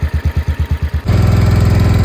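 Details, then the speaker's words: 1968 John Deere 140 H3 garden tractor running again after 20+ years unused: steady low thump settling into a quicker smooth beat, runs pretty good though a little smoky; normal idle. "It actually runs pretty good. A little smoky. Who knows how long it's been since the last time it ran."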